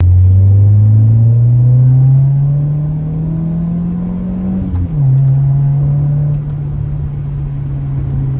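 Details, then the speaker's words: 1999 Honda CR-V after new exhaust and new muffler, exhaust no longer tapping the frame: deep, even note rising smoothly with revs then settling to steady idle, no rattle or blowing; quieter, healthy. "And it's all fixed now. And it's quieter, and this is what it sounds like."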